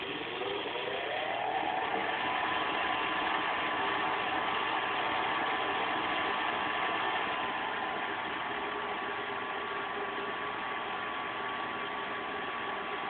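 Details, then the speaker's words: Goodman GCS9 90%+ gas furnace, about five years old, flashing 3 for pressure switch circuit open, switches and tubes checked clear; inducer draft blower spins up with rising tone, then a rough whirring hum with faint tick; bearing suspected failing. "Um, but there is on the inducer draft blower. It sounds like the bearing is going out on it."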